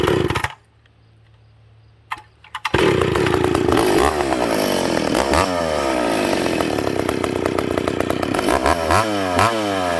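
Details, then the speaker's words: Ported and piped McCulloch Pro Mac 850 chainsaw on its first test: fires after a brief pause, then revs up and back down cleanly with a crisp, even two-stroke note; restarts well and idles, though a little rich on the bottom. "That's a good running power saw. It restarts well, it idles. Little rich on the bottom, but she's good."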